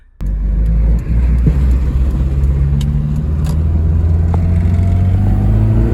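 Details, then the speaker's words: Honda car leaving the junkyard, accelerating under load: deep engine drone climbing steadily in pitch, smooth and even with no knocks through a healthy VTEC crossover. "Listen to this beautiful VTEC crossover."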